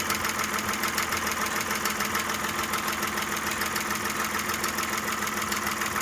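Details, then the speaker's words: Audi A6 with sludgy oil, engine not new, about 4 bar oil pressure mentioned. Light, fast, even lifter ticking at steady idle, about two per second, fading gradually as the hydraulic lifters fill; one lifter still slightly noisy. "Уже мало. Потихоньку пропадает, постепенно."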